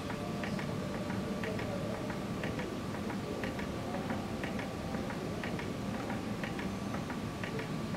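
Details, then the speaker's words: Trico FM-6 ferrogram maker fixer pump on pulse mode after priming with heptane: crisp light ticks in small regular groups about every half second over a faint hum; normal pump pulsing. "So all you have to do is to press a button on, it will dispense it once. Fixer pulse will run it continually."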